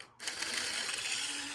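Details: Small 1980s–90s Rivarossi model locomotive, just dropped, on power: a light, even mechanical whir and gear chatter with no catches or knocks; normal running.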